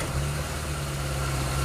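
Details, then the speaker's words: Mitsubishi Maven: idle-up for the AC was added with an air control switch on the intake manifold, its solenoid wired through a relay and fuse. With the AC on, idle now holds steady around 800 rpm with no dip or hunting, where before it dropped. "Hai itu rpm nya 800 kehidupan aslinya tuh masih 800 jadi ditahan 800 ya seperti itu Jadi enggak terlalu ngedrop banget ini ada bantuan udaranya"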